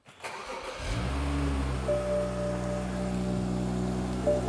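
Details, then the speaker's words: BMW X1 after replacing a dead, non-firing spark plug: short crank, engine fires promptly and settles into a smooth, even idle with no misfire, sounding much happier. "It sounds much happier already."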